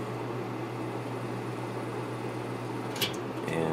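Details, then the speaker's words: Lakewood P223 fan with a Westinghouse motor, run unloaded on high before cleaning and oiling: a quiet, even hum with no ticking or rubbing. The motor runs smooth. "oh the motor runs smooth and it's quiet so I think it's in pretty good shape"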